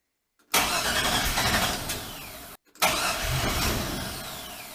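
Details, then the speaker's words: LS-swapped 1965 Chevrolet C-10 after reassembly with new injectors and intake manifold gaskets: two long cranks, the starter turning steadily with no firing at all. Crank no start because it was out of gas. "Yeah, there's not a whole lot you can screw up. But apparently I did. It's definitely my fault. It's out of gas."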